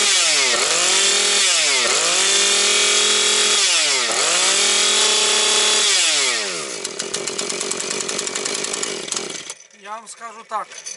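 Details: Husqvarna 130 chainsaw with its replacement carburetor, not yet warm and smoking from extra oil: it snaps cleanly to high revs and back three times, then holds an even speed through the cut. Engine running healthy.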